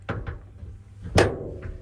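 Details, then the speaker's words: 1965 Chevrolet C10, heard from inside the cab: door shuts with a solid thud and only one latch click instead of two; door is too tight, and the latch/striker appears slid too far back. "all right I've closed myself up in the cab to check what it is this door is only latching one click they should have two"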